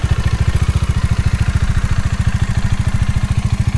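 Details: Bajaj Dominar 400 at 16,000 km, idling: rapid, regular clattery ticking riding on the idle beat, about three a second or faster. Owner's complaint is engine tappet/shim noise.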